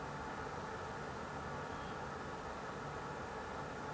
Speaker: CPU fans are only at about 50% PWM here, so it's really not adding too much noise to the mix. We're talking about 1000 RPM on all these fans.